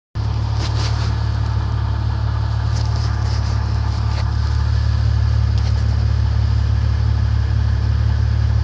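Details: Internal engine knock on a 1994 Grand, 4-litre engine, at steady idle: regular light knock about four per second riding over the low engine drone; cause not yet pinned down.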